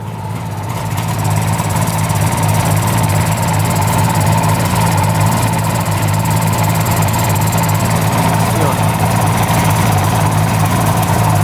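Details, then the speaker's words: 1975 Suzuki GT750 two-stroke triple, sitting since 1986, just revived: picks up and holds an even idle at about 1,000 rpm, a steady buzz with no dropouts; all cylinders firing and hot. "Oh yeah, it's running on all cylinders."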